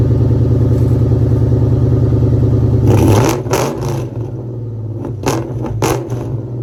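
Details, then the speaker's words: 2003 Mustang GT 2V after sitting a while, cold start on jumper cables, camera at the rear: lumpy V8 idle with an uneven pulse, then loud pops and cracks. Rough running and missing, which remained after an earlier fuel pump replacement. "Last time I drove it, I had to change the fuel pump in it because it was running real bad, like missing. So I changed the fuel pump, put a new fuel pump in it, and I took it out, and it still had that missing, that sputter to it."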